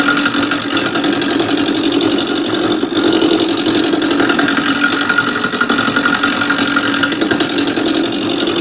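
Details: Wood lathe at slow starting speed, gouge roughing a square top blank into a cylinder: fast, uneven ticking over a hissy cutting sound as the corners keep catching the gouge; the blank is not yet round.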